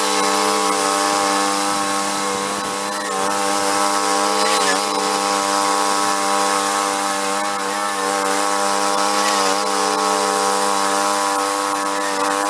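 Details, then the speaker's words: 1991 Craftsman GT twin-cylinder garden tractor, rescued and revived, test running after repairs; smooth, steady hum at a constant pitch with no knocks or misses, quiet compared with a typical buzz box: normal running. "cool that's a nice little machine everything seems like it functions fine it's nice and quiet it doesn't make much noise compared to a regular one that sounds like a buzz box"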